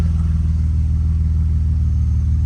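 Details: BMW E34 with M50 engine after fuel pump replacement for a no-start caused by low fuel pressure, spark plugs recently changed: steady, even low idle pulse with no misses, knocks or ticks; settles smoothly and sounds healthy.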